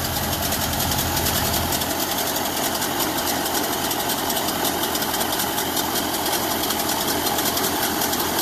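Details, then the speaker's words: 1930 Ford Model A Fordor engine first started after sitting in a barn for 40 years: ragged, uneven idle with loose irregular clatter, lots of oil and smoke out the back; engine suspected worn out, generator apparently not working. "Well, it's running. After sitting in a barn for 40 years, it's running. Not running very well, but it's running."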